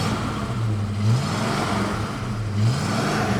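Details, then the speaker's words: 1977 AMC AMX Hornet barn find with dual exhaust, in wind: two short throttle blips rising and falling cleanly through a deep, even V8 rumble; healthy exhaust note. "It's got nice dual exhaust on it."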